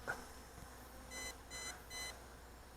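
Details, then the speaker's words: MJX Bugs 20 EIS 4K brushless GPS drone in flight: three evenly spaced high beeps from the controller warning the flight battery is nearly flat, as the drone comes down. "That's full low battery. Coming down. And this is the final part of its flight. The long beeps means I don't got any more battery power to fly anymore."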